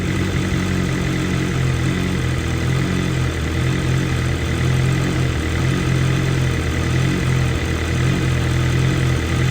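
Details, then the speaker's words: 2023 BMW M1000RR Competition with new exhaust system but stock muffler, fully warm idle: steady deep idle with slight slow rise and fall in revs; normal idle hunting from high-lift cams, high compression and exhaust. "you can see how the idle hunts a little bit right there um that's just due to the fact that we have a new system on here"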